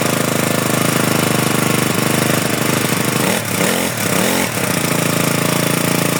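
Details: GX35 four-stroke grass trimmer after replacing the broken starter recoil spring/pawl: steady high buzzing run with a short throttle dip and recovery midway, no sputter or rattle; engine running healthy.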